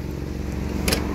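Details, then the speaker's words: 1981 Toyota pickup SR5 22R carbureted four-cylinder, cold and warm, after hot-wiring the idle fuel-cut solenoid and reconnecting the choke pins, which had held it at 2000 rpm: idles steadily and smoothly, around 700 rpm; normal idle. "because it was sitting at 2000 RPM and then once I pulled the pins hot wired plugged it back idles down nice and smooth"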